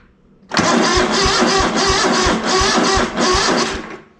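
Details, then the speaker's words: ZT200 mower twin after ignition conversion kit and carb parts, cold day, choke on: steady cranking thumps about three per second under a rough roar as it catches and begins running; hard cold start. "so now we do want the choke back on that's in"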